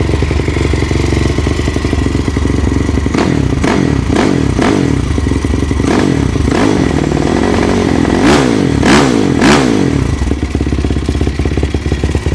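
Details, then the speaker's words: Yamaha YFZ450 with 480cc big bore kit, freshly rebuilt after a blown head gasket, 65 pilot and 175 main jet, running through heat cycles: steady thumping idle, then short throttle blips rise and fall cleanly; warming up normally, no knocks. "let this thing run, do a couple heat cycles."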